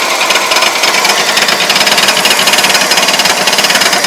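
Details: Engine driven about 2 miles with very low oil, main and connecting-rod bearings since replaced: sharp regular metallic rapping about three and a half per second at idle; owner suspects cam bearings, not confirmed.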